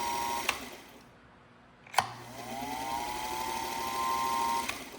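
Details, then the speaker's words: Restored Singer 221 Featherweight after completed electrical service: click, then motor hums up to a steady even tone and holds smoothly without rattles; everything working as expected after not working before. "Everything working exactly as expected. And we went from not working to humming right along."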